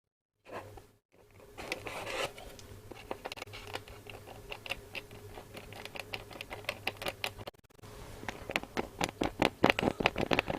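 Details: Hacker RP25 Sovereign 2 radio speaker, cone pushed by hand: dry scratchy scrapes and irregular ticks with each movement; rust has got into the centre/voice-coil gap and is rubbing.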